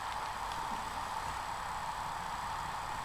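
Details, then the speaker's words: Laptop hard drive in an external enclosure, powered on for data recovery: quiet steady high hum spinning up normally with no clicking or buzzing; detected as 232 GB and working. "so let's turn it on and hopefully it'll spin up"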